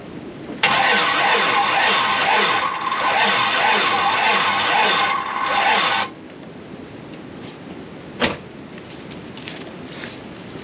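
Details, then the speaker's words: 1987 GMC Jimmy (K5 Blazer) being cranked after priming fuel, with battery charger and jump box connected: labored, slow turnover of about two beats a second for five seconds, no catch, slowest yet; slow cranking, no start. "okay somehow that was a slowest that it's turned over so far I don't know what's going on"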